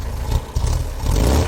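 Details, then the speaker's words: 1968 VW Type 3 Fastback engine, cold after reinstall with IRS subframe: low, slightly lumpy idle with a few soft surges and no knocks or rattles; it runs quite well and is simply still cold, left to warm up. "it's running. It's just cold. All right, well, Ruby is looking pretty good. She's running quite well."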